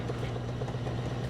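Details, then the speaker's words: Frigidaire laundry center washer (model FGX831FS5) with an intermittent no-spin complaint, shown spinning with motor, belt and transmission visible: a steady low hum with a soft, even churn as the drum speeds up; a smooth, normal spin. "it's going to go faster and faster get all the water out looks good pretty smooth"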